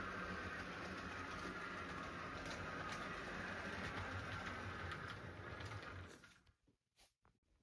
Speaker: but it runs really well and it is all-wheel drive. And it's pretty quiet.